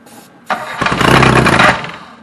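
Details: Reliant Robin on its first start attempt, with old varnished fuel found and fresh fuel being added. The starter churns a rough whirr for a couple of seconds but the engine never catches; no start, cause unconfirmed.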